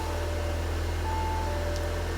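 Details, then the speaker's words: Crash-repaired Audi TT with S-tronic gearbox, rebuilt from two damaged cars with repinned connectors, first start with coolant still well short: a steady, even low idle hum, a dash warning chime pinging over it; engine running cleanly. "I have put a little bit of coolant in there. Nowhere near enough yet, but engine runs, it all sounds good."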